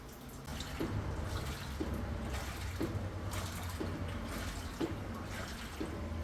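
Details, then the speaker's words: Maytag washing machine, after replacing the defective cold-water inlet valve, normal cycle: steady low rush of water pouring into the drum, even and strong with no hiss or chatter; the inlet is filling properly. "now you can see it is water already starting to come inside the drum [Music] now you can hear the noise the water already coming to the"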